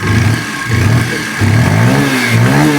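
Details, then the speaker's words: Bajaj Pulsar 125 BS6 E20 after TPS sensor fix (codes P0122, P0113, P0107), self-started without throttle: steady idle about 1000 rpm, clean throttle blips, no missing, no stalling when throttle released; previously stalled. "अब bike बिल्कुल भी missing नहीं कर रहा। थ्रोटलल छोड़ दिया। अब bike बिल्कुल बंद नहीं हो रहा है।"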